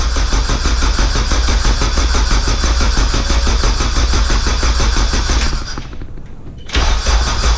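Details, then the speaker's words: K24a2-swapped Acura Integra first start attempt, after dead battery, open downpipe, radiator off: engine cranks steadily about three beats a second, pauses, cranks again without catching; no-start later traced to an injector issue. "I've already tried cranking it five times and I'm gonna do it like five more times"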